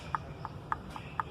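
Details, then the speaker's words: Mercedes-Benz C200 M271 engine, noise at startup, new chains and guides fitted: sharp metallic clicks about four per second as the unbolted cam adjuster gear is turned by hand; excessive play in the defective adjuster gear, replaced. "en cuenta el juego que presenta es mínimo y no estoy reduciendo la fuerza o la absorción en mi mano y el ruido obviamente disminuye considerablemente"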